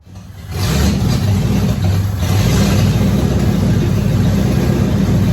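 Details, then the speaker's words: Lincoln Mark VII's first start after over three years sitting, with a new starter, running on starting fluid with the fuel pump fuse pulled: it catches quickly into a strong, steady low rumble with all cylinders firing. Ignition is good. "well the good news is is we know ape will run on starting fluid i pulled the fuse for the fuel pump so it's not pumping the three-year-old gas through the system"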